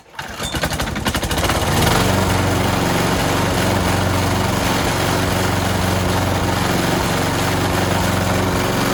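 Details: Old petrol lawnmower after cleaning the clogged carburetor jet, likely blocked by debris from a rotting fuel hose or the tank: the single-cylinder engine fires quickly and settles into a steady, even beat with no hunting or stalling.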